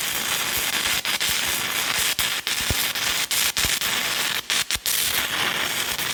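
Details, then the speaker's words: Hitbox TIG 200 stick welding a fast-burning 6010 rod at 120 amps: harsh crackling hiss with frequent breaks and pops as the arc stutters; the bead came out a mess but penetrates well; 6010 stick welding arc. "I don't use 60 10 too often like I said it's my kryptonite it burns real fast and I can't usually keep up with it so I'll see what it does"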